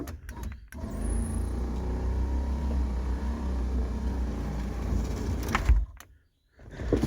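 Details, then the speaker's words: 1988 Lincoln Town Car limousine (Corporate Coachworks) Sky-Top power moonroof, battery charger connected: loud steady low droning hum for about five seconds, then cuts off; motor runs but glass stays down and won't close. "it closing all the way? No, it's not going up. It's staying down right here."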